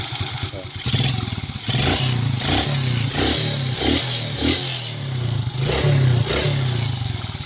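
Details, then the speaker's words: Smash 115 with a converted Wave 100 carburetor, stock mixture unadjusted: fires readily and runs steadily between throttle blips, settling back without stumbling; healthy idle. "Ang ganda ng minor niya."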